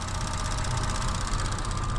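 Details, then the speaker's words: Idling petrol engine with recent tick after a valve cover replacement: fast, even ticking, about a dozen light taps a second over a low hum. "oh I can hear that ticking way more intense"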